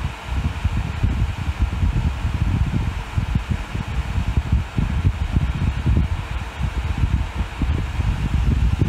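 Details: Dyson Hot and Cool fan heater after PCB repair using donor boards (blown motor controller chip had taken out the microcontroller), heat mode at 37 degree setting, reaching 43 degrees; soft steady air rush with low rumble building as speed rises, no rattles; normal.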